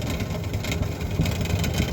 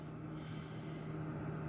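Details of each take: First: GE refrigerator freezer evaporator fan, running with its cover off before replacement: loud uneven rumbling whir with rough fluttering at steady speed; worn, noisy fan motor. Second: GE refrigerator freezer fan after replacing the noisy fan motor; soft, even low hum with no ticking or scraping at settings three and four; normal quiet freezer fan running.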